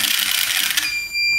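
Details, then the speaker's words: 2011 Skoda Superb 2.0 TDI (CFFB) EGR valve removed, motor bench-tested with reversed polarity: short high whir settling to steady whine; actuator motor works fine. "if I change the polarity now it should go back the only work in the EGR valve a hundred percent all the time so it's fully fully open now let me put the other way the other way actually actually works"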